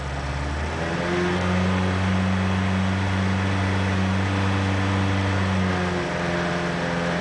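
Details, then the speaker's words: Ford Pinto engine held just under 3000 rpm: deep droning, throbbing resonant vibration, worsening, persisting after timing, plugs, carb, flex plate, torque converter and mount changes; finally fixed by securing a loose alternator bracket. "there she goes about just under 3 000 revs you're getting that droning throbbing resonant vibration it's been getting worse"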